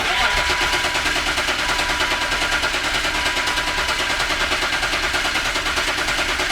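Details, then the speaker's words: BMW E36 M3, unrun for 4 years. Harsh, loud starter churns with an even chug two to three times a second while cranking; the starter itself sounds noisy. "Starter's loud. It is loud. Starter is loud."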